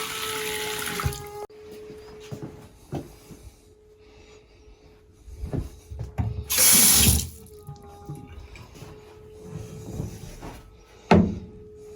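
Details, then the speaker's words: House plumbing: steady mid-pitched hum droning through the pipes near the bathroom, sounding like a toilet, broken by running water; stops briefly when a faucet opens; caused by a failed vacuum-breaker diaphragm vibrating. "as soon as we walk in here you're going to hear a noise and by all means it sounds like it's coming from a toilet"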